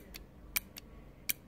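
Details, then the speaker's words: Automotive relay bench-tested off the car with a power probe: two crisp sharp clicks about three-quarters of a second apart as the coil's magnetic field pulls the contact in and releases; normal relay click. "okay so that's the magnetic field being built up right here in the coil pulling this in"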